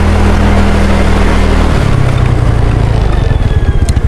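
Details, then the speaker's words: Scooter with a newly fitted disc and new Aspira brake pads slows under braking; the engine note falls with no squeal, scraping or rattle, so the new pads are quiet. "ayan wala akong naririnig na maingay sa disc brake ko na bago and sa brake pad natin ng aspira"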